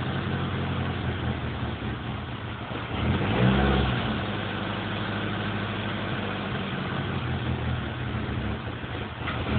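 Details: Nissan SR20 petrol engine idles unevenly, surging twice, with an uneven stumbling beat suggesting misfires.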